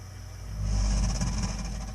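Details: 3-year-old gas-fired Burnham Alpine ALP150W boiler while firing, deep vibrating hum swelling then easing over two seconds with a faint high whistle; abnormal rumbling, cause unknown.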